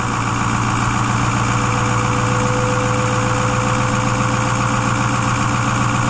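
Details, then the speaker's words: 2010 Ford F-250 6.4 Powerstroke diesel, after engine rebuild, cold weather, under hood: steady even clatter at raised idle, no misses, knocks or smoke; healthy engine in cold high-idle warm-up mode. "Notice that, how it's idling up? Because obviously it's cold out, so it's gonna kick itself in the high idle mode. That way it allows the engine to warm up a little quicker."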